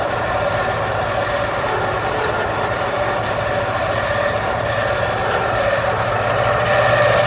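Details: AC unit fan running with a steady high-pitched screech over the fan whoosh, still present after greasing the bearing; failing fan motor suspected, possibly needing replacement.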